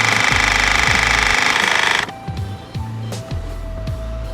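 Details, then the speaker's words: Handpresso 12-volt espresso machine, cold water and coffee pod loaded, just switched on: fast even buzzing pump strokes, about three and a half a second, for two seconds then cutting out as the compressor stops; normal operation. "Two things are happening. The compressor is working and so is the water heater."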